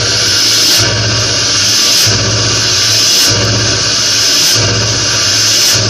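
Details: Cold Ford Powerstroke diesel on a snowy day: a loud hissing, sneeze-like whoosh about once a second over the rumble, which keeps happening even while driving for about 2 miles when cold. Cause unknown.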